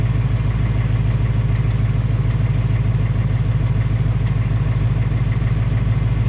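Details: 2018 Mustang GT on its second Ford replacement engine, only 1,200 miles: steady idle with an even tapping about three times a second over the engine note; ticking/knocking, owner suspects Coyote tick or piston slap, unconfirmed.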